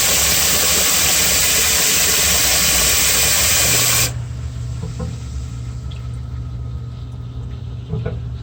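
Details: Home-inspection sump pump kicks on after water is added above the float threshold; loud rush of water, then a steady low hum settles and holds evenly, running normally.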